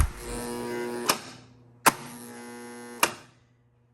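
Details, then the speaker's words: 1976 Bally Flip Flop pinball with AC-driven flippers: a strong steady mains buzz between sharp flipper clacks, holding while the flipper is energised. The buzz is too loud, and the flipper coil itself is suspected. "And I know that buzzing is normal in these electromechanical machines because the flippers are AC driven, but I don't think they're supposed to buzz that loud."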